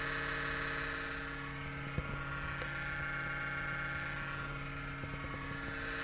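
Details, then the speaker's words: Kodiak camper at a cold start (37°F): the inverter's cooling fan makes a steady, layered electric buzz with faint ticks for about a minute. It happens at around 60°F or colder and then goes away completely. "exhaust fan beans ex it's gonna make this loud racket for about one full minute it's because it's cold 37 degrees"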